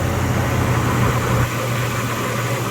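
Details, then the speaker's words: Jeep ZJ 4.0L inline-six idling after head gasket and water pump replacement and new exhaust: even, steady idle with no ticking or rattle; the earlier suspected lifter or rod tick was likely the old rattling exhaust. "actually sounds pretty good in fact i had what i thought was a lifter tick or a rod kit uh a ticking under the valve cover and i don't hear that right now"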